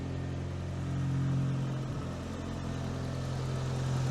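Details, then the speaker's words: Imported 90s JDM car with a loud back box: petrol engine idles with a deep, slightly uneven chug, about four pulses a second; a bit of a misfire. "know if you can hear, but she kind of chugs away. It's a bit of a misfire in it."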